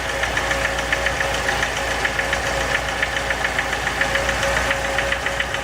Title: Стук в двигателе РеШН